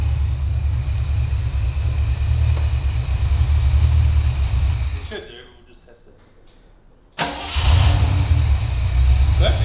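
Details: Holden HQ V8 after T5 conversion, service and new electronic distributor, warm: idles evenly, is switched off, then fires straight back up first turn and settles to smooth idle; normal start and idle.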